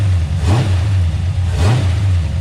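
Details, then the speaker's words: 1985 Pontiac Trans Am, SBC 350 Vortec with Comp 268XE cam and 750 double-pumper carb, started after sitting for months: deep, even V8 burble with two quick throttle blips that settle cleanly; sounds healthy. "Still sounds good."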